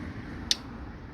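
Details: Hybrid bike with a creaking, clicking noise when pedalling, not from a broken spoke or the new saddle: one sharp, dry click over quiet room hum, traced to grinding worn bearings in the bottom bracket.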